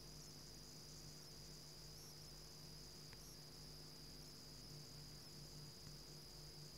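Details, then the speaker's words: Surface Pro 2017 charging adapter, mic held close: a thin, steady high-pitched whine from inside, louder while charging and faint when not; coil whine, owner unsure if normal. "okay that the sound from inside this adapter I don't know if this is normal or not"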